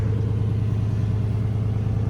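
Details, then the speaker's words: 2008 Lexus GS 460 V8 bought at auction, idling after start-up: loud, raw, low rumble with a puffing beat. Rusted exhaust connections are leaking, far louder than a sealed system; exhaust leak. "it's got a lot of rust so the connections on the exhaust are bad it's leaking a"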